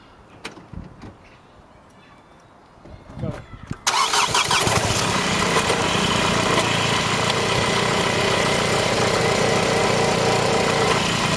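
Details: MK8 Honda Civic with AC after replacing the tensioner and idler pulleys for a noisy drive belt (alternator clutch and bearings checked good): the engine starts and idles evenly with no belt squeal or chirp. Sounds healthy.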